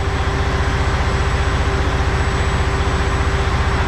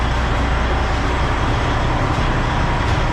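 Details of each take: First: Truck diesel at idle after clearing fault codes; the turbo is now audible spooling and spooling down, which it was not before. Owner suspects failed VPods. Steady low idle with a faint high turbo whistle above it: normal turbo spool sound. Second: Freightliner diesel truck with EGR and turbo issue, restarted after erasing codes: steady deep rumble with actuator noise but no rising turbo whistle; turbo not spooling, failed VPOD control valve on block suspected, codes include turbo compressor inlet temperature.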